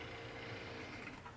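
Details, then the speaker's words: Permanent-magnet 24V wheelchair motor freewheeling with no load at reduced voltage from a bench supply, brake released by a separate 24V supply. It turns from 1.5 V up to 25 V. Faint, steady, even whir, no grinding; normal. "okay so that's the actual motor part um it'll start turning at just 1.5 volts for ultra low speed all the way up to the 25"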